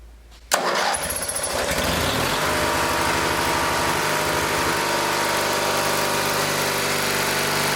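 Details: Scrapyard Dynamark lawn tractor, 16 hp single-cylinder rated at 3600 rpm, starting on a little choke with new fuel line and the air cleaner off. It catches after a brief stumble and settles into an even, steady run with no misses, before the governor spring is tensioned to raise rpm.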